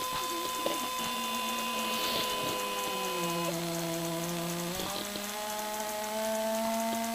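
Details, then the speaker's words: 1984 Mercedes 300D Turbo diesel with a completely dead battery, key turned. An electric whir drifts up and down in pitch with no cranking at all; a window regulator was first suspected, then it was identified as a fan. The engine will not crank. "oh, that's a fan. Alrighty. Yeah, she is completely dead."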